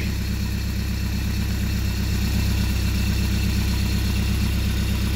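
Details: Rebuilt Mercruiser 170 3.7L marine engine after break-in, about 1.5 hours on it, running with makeshift wooden muffler: steady even low drone, no knocks or misses; healthy running.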